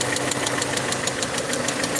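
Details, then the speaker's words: Peugeot 307 2.0i at idle after vacuum leak fix: sharp metallic tick about five per second from the top end; owner suspects a fault inside the cylinder head and plans to remove the head. "so the here something is wrong inside the head um what's up so from here I can actually hear it clearly now so um can hear how loud it is so so the cylinder head is coming down"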